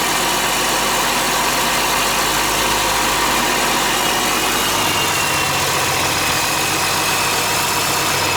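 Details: International 7100 dump truck with DT466 diesel, first start after in-frame rebuild (fresh head, liners, pistons, rod and main bearings, radiator): loud, steady idle with even rumble and no knocks or misses; normal idle.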